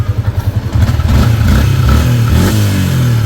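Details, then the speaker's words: Sniper 150 single-cylinder revving after repair: oil now reaching the head; impeller bearing, water seal, water pump gasket replaced, new coolant. Even idle rising into a clean rev, no top-end ticking; healthy. "Ayan, okay na yung tunog niya mga boss. Umakit na yung langis."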